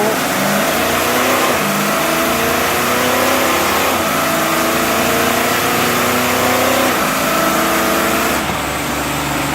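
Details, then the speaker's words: 300,000-mile 4L80E 4x4 automatic after full overhaul (valve body bored, light shift kit, new solenoids, clutches) on dyno, hard 1-2-3-4 full-throttle upshifts near 4,000 rpm: pitch climbs then drops cleanly at each shift, no slipping or flare; shifting well. "It was 4,000 RPM and then up to 3,500 in overdrive. Sounds like a winner."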